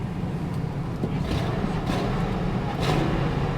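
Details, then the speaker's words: Car in drive at idle with max AC on, full tank, no warning lights: steady even low rumble, no knocks or misses, sounds great. Normal idle in gear. "It sounds great."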